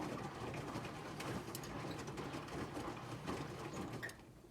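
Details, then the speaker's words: Whirlpool SCW1112 washing machine before repair: busy rattly whir with chirping squeaks from the slipping drive belt, drum bearings also very badly worn. "the only issue is the bearings and the belt as you can hear that's the belt which is very annoying"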